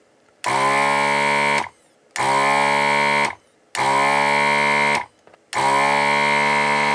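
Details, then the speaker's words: ZD-915 desoldering station vacuum pump after repair (motor power connection fixed, screw Loctited): four even bursts of steady buzzing hum about a second each, pump sucking well, much better than before. "Yeah, and that sounds a lot better than what we had before. I think it sucks as well."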